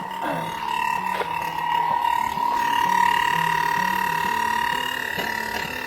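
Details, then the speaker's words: Suburban RV propane furnace after cleaning a clogged jet, running and producing heat: steady high whine over the blower fan hum with uneven low warble; something making the fan noisy, cause unknown, owner suspects box location. "I feel heat. That noise means the fan. Something's making the fan make a noise. I don't know what."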